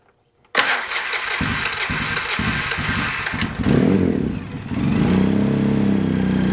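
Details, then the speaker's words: Polaris Sportsman 700 ATV with a new starter and bendix; battery suspected weak: a second of starter churning, then it catches and settles to idle. The starter sounds better, but an odd extra noise during cranking has an unclear cause. "the starter does sound better I don't know what that noise"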